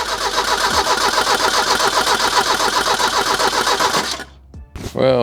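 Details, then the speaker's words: 1985 Merkur XR4Ti 2.3-litre turbo, cold after two weeks sitting, after new plug wires and spark plugs: even cranking about 220 beats a minute for four seconds, never fires; no-start caused by bad gas. "unfortunately, it did not start."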